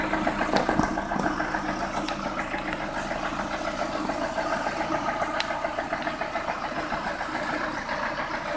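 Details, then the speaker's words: Lada Priora warmed up at idle, about 3000 km after piston-group replacement following bent valves, oil changed Lukoil 10W-40 to ZIC 10W-40: steady light tapping three or four a second, also present cold; owner unsure if piston or hydraulic lifters. "Я прогрел уже автомобиль вот так на холостом ходу отчётливо слышен стук"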